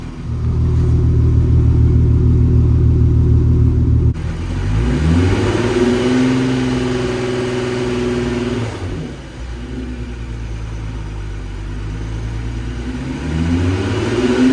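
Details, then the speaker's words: VR6 engine swapped into a MK6, first warm-up about 5–6 minutes in, temp needle rising, heater on full to purge air: smooth idle rising through revs and settling, head quiet, no knocks; engine sounds phenomenal. "Engine sounds phenomenal. The head sounds quiet. Everything's ticking, purring nicely."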